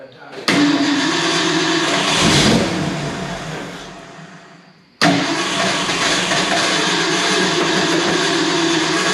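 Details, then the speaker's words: 1970 Ford F250 dually 302 V8 after a top-end rebuild, idle mixer screws set 1.5 turns out: it catches, runs unevenly, sags and dies, then restarts rough. It starts then dies; the owner suspects it is loading up or starving for fuel. "No, it didn't like that. May have to hit those idle mixer screws as well. I just want to get it running smooth without loading up."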